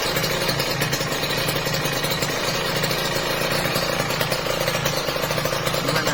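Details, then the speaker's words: Kawasaki Ninja RR two-stroke after an NPP piston and ring replacement on the old whitened bore: crisp, even idle with a steady buzzing beat and no rattle or knock, the top end now healthy. "Itu nggak ada kemeletek ya, pas turun halus banget, halus. Ini asli halus banget."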